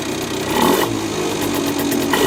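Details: Honda NSR50 two-stroke with bored-up Daytona 62.9cc cylinder: dull, uneven knock ticking through the revs; owner suspects crank big end or balancer bearing, noise remained after checking and reassembling other suspect parts.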